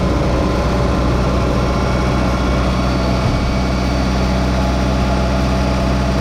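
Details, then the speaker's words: Engine of about 30 years old after fixing a loose Weber carburetor installed without Loctite: deep, steady, even idle with no misses or knocks, smooth low rumble. Normal idle. "all right guys get away here from the engine noise a little bit so far so good sounds like she's purring like a kitten as good as i expect this 30 old engine to do"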